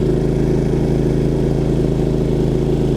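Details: Champion 3500 dual fuel inverter generator under load (15,000 BTU AC, microwave, about 11.5–11.8 A at 120 V, around 83–84 dB): steady firm drone at constant speed, no hunting or knocking; running normally.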